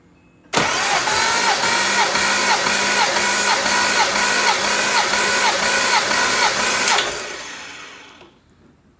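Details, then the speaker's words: Nissan 300ZX Z31 compression test (fuel pump fuse pulled, coil disconnected), checked for smoke from valve cover breathers: starter cranks steadily about six seconds without firing; cylinder 2 reads about 110 psi versus about 190 on the rest; leak-down next. "right this is cylinder number two so we're only getting up to about 110 on cylinder number two and the rest are right around 190."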